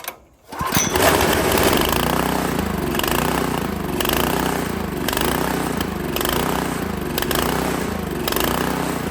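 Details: Honda GX160 on a Workman 2 cement mixer, jacked level to rule out the low-oil sensor, choke on, carb screw being adjusted: it runs rough with the beat surging and sagging each second. Tight valve clearance suspected.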